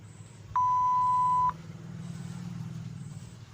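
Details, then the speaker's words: Intex keypad mobile phone: a single clean high beep lasting about a second over quiet background, repeating every three to four minutes; a recurring phone alert, not a mechanical fault. "कि यह देखा आपने जो आवाज अभी आपने सुना है कि ऐसे ही हर 3 मिनट के बाद होता रहता है"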